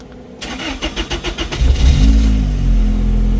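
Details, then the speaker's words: R34 Skyline-powered truck, start after a leak check: the starter churns in uneven pulses for over a second, then the engine catches into a rough idle; the owner suspects air bubbles. "Let me start this [ __ ] I might have some air bubbles."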